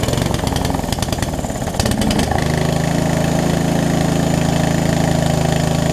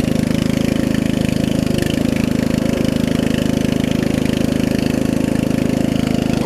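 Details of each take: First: Murray riding mower, sitting for years, started on choke during a carb and fuel-line refresh. It stumbles and chugs, then runs lumpy and uneven. Owner suspects too-small fuel line, a worn carb and a leaking needle and seat. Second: Murray widebody riding mower with 16.5 hp Briggs single-cylinder engine, after new carb, fuel lines and valve adjustment: low, smooth, even idle, idles down really low, no stumbles; slight exhaust leak, runs well.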